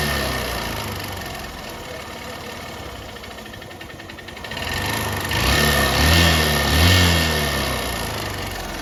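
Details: 125cc single-cylinder motorcycle at only 11,000 km, idling with a hollow, fairly even knock that grows louder as throttle opens, confined to the engine; mechanic says piston, not timing chain; piston slap.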